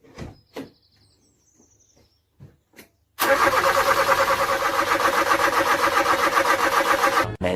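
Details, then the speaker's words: 1986 Toyota Corolla KE70 abandoned for years, revival attempt: steady fast starter cranking about four turns a second, engine never catches; crank no start, owner suspects a vacuum leak from untightened parts, unconfirmed. "all right she just doesn't want to go"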